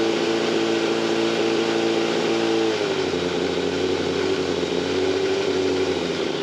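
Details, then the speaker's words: Yamaha FZR 600 Genesis with noisy timing chain, after checking the automatic tensioner adjuster: revs held then dropping to steady idle with faint metallic rattle under exhaust; quieter but still present, source uncertain. "it doesn't sound as loud but it's not cool you feel it yeah it's hard to say it doesn't sound as loud it's hard to distinguish where the noise is actually coming from"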